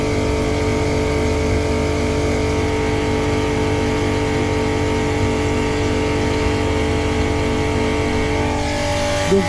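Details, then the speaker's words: Boat watermaker (desalinator) start-up, needle valve open: high-pressure pump purging air bubbles; steady even hum with fixed tones, no knocking or surging; normal running. "On entend que ça passe dans la pompe haute pression, donc on élimine un petit peu des bulles d'air."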